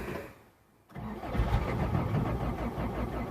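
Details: 1989 Toyota pickup with a 22RE engine, hard to start after sitting three hours or more; first try after sitting overnight. It cranks briefly, catches and settles into a rough, uneven idle. Owner suspects a fuel pressure problem.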